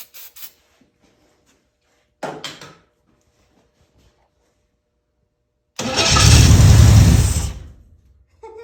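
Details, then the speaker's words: 1981 Camaro Z28 V8, first start in 15 years after sitting, no fuel pump, carb cleaner sprayed as fuel: silence, then it catches hard and roars about two seconds before dying; brief firing on sprayed fluid. "we don't have no fuel pump so we're going to use good old carb cleaner just keep your video continuous [Music] it worked it worked"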